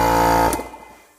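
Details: Air compressor recorded from about four feet before being placed in its soundproof box, prominent tones at 60 Hz and 960 Hz: loud, steady buzzing hum with a strong high tone, then cuts off and winds down; running normally.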